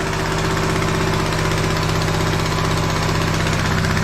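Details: TrailMaster Mini XRX go-kart engine, with a gummed-up, worn starter and a sticking choke cable, running after a start: steady single-cylinder thump at a settled idle with even pulses and a faint hum on top, no knocking; running fine.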